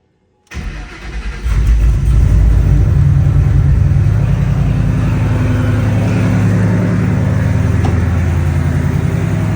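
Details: Ford Mustang S197 drift car started and idled during a coolant combustion-gas (block) test, before plug and oil change: cranks and catches, then lumpy, uneven idle with unsteady low pulse; rough idle, cause not confirmed.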